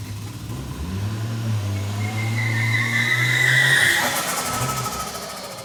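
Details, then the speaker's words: 1989 Toyota Supra MA70 with a 7M-GTE, revived after 6+ years sitting, revving to drive: rising turbo whistle over the exhaust and a brief tyre chirp; pulls cleanly. "Well, I'm going to call out a win. I heard some turbo noises."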